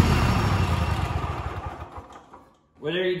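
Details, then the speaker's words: Kohler KT735 7000-series twin on a Cub Cadet SLX50 after replacing the failed ignition coil; fairly even beat winding down, faint popping and missing at top end blamed on accumulated unburned fuel clearing; sounds much better, normal running. "it sounds much better there's a little bit of popping and missing on the top end of that and that's probably from all the fuel that has accumulated that was not fired and burned"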